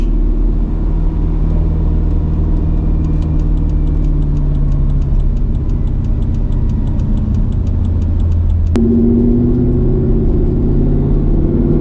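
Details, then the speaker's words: Mercedes C55 AMG, nearly warmed up (issue appears once warm), after a crankshaft position sensor replacement: a steady engine drone holds high instead of dropping, then shifts abruptly; revs still hang on deceleration, not fixed, cause unknown. "it's still doing it man what in the world is that what well guys we officially didn't fix it"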